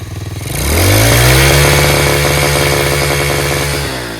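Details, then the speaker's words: Free Tao Tao 125cc ATV quad, revived with a new carburetor, new ignition switch, and a replaced stator and pickup, safety switches bypassed. With the idle screw turned in half a turn it idles on its own very quietly, then revs cleanly on throttle and holds an even buzz. Runs healthy. "awesome how about it fellas running on its own dude it's quiet huh really quiet sounds great here's the throttle okay"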